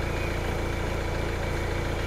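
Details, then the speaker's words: Hyundai i20 with P1186 low rail pressure code, after fuel pressure regulator/control valve replacement and successful actuator test; longer crank then steady even idle around 800–900 rpm with no misses, sounds okay. "800 RPM, it's thinking about it. 900 RPM. 900 RPM. Idle. Sounds okay."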